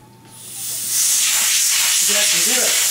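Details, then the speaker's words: Soilmoisture Nullmatic regulator manifold with Nullmatic isolated but one valve left open: loud, steady high-pitched rush of high-pressure air pouring out; air leak from open, unisolated regulator line. "if you forget to turn off this you'll have lots of air coming out"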